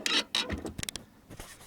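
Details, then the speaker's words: VW Polo sedan: short, high, creaky squeaks as the clutch pedal is pressed, heard in the engine bay. Pedal bushing already greased; clutch slave cylinder suspected, then removed. "как возможная проблема вот здесь вот есть цилиндр и скорее всего он то у нас и скрипит и посмотрим на сохранить из ребят не занят нам по нажимает педаль и мы послушаем даже полюбому"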